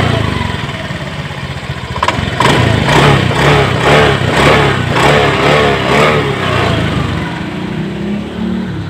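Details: Honda Beat Eco injected scooter after fixing the TPS sensor wire chafed by the air filter box, previously stalling with late throttle; several quick even revs rising and falling smoothly on each blip: healthy throttle response.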